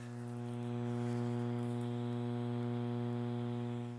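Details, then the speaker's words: Lenoxx BSR 1970s AM/FM stereo receiver with turntable: a steady low mains hum that stays with the volume all the way down, possibly from one speaker only. Grounding the chassis didn't help; a bad filter capacitor is suspected. "Actually, it might be in this speaker only. What is that? What is that hum?"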